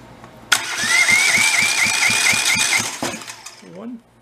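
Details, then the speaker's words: Rebuilt Kohler Command 20 hp engine cranking during a dry compression test on the second cylinder: steady, unlabored pulses about two a second ending in a brief whistle; reads 151, healthy compression. "back it off as you try the other side see what that gives us hopefully it's 151 51 because the other two cylinders on the other engine were exactly that too"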